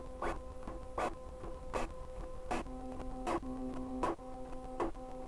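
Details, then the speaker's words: Bambu Lab A1 3D printer during first-power-on full-auto calibration with active motor noise cancelling: repeating buzzy motor tones with sharp ticks about once per second, getting quieter as it calibrates, mostly bearings on the rail; normal stepper motor noise. "I can hear that the motors are going quiet and quieter as it keeps doing that so they were much louder and now they're much quieter so it's literally canceling the motor sound mostly all you hear is like the bearings moving on the rail"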